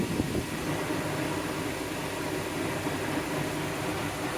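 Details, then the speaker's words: VW New Beetle after AC refrigerant recharge on low side, parked in shade, about 3 minutes later: steady even blower air rush with soft engine hum, no rattles or surging, vent at 20°C/70°F, ice cold; normal AC blower operation. "I'm showing 20 Celsius or 70 Fahrenheit. So, this is blowing ice cold. Ice cold."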